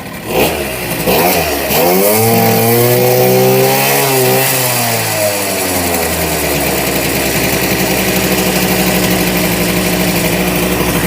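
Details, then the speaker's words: 1988 Honda Vision Met-in 50cc two-stroke scooter after carburetor removal and cleaning, kick-started, idle adjusted down from high: blips then settles into a steady, even buzzing idle with no misses or rattles; normal idle. "it sounds awesome sounds like new that sounds like the one two5 awesome right"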